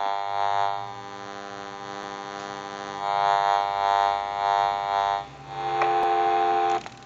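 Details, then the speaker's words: Repaired General Electric 6.0 cordless phone on test amplifier during final checkout: buzzy electrical hum with steady dial tones that pulse and shift; normal interference from base frequency picked up by the amplifier. "so if you hear any staticky hum or an electrical hum that is the amplifier and I will show you what I'm talking about when we start our final checkout that's normal"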